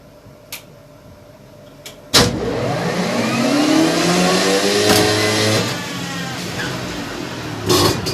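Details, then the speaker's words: Two-stroke with 17.5 mm carburettor on bench, air screw set lean: starts with sharp bang, struggles to hold uneven wandering idle, lazy stumbling revs on throttle; too lean. "tentant ralenti et honnête voilà du mal à tenir le ralenti forêt ne vaut pas et dès que j'accélère en main même chose"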